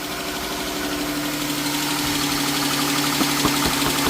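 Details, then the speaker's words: Chrysler 3.6 Pentastar, cold first start in the morning, light fast tick about four per second over idle, sounds like a failed rocker arm in the valvetrain, suspected bank one; possibly linked to an aftermarket aluminum oil cooler. "This the one I checked out earlier with the ticky noise. Let's see if it do it now. It's first thing in the morning. Cold."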